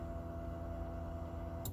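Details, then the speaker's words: 1995 Honda Civic fuel pump under the seat, after cleaning a corroded relay: a steady even electric whir at constant pitch for under two seconds, then a click as it cuts off. Pump primes normally. "boom fuel pumps working that's super sweet i'm glad to see that"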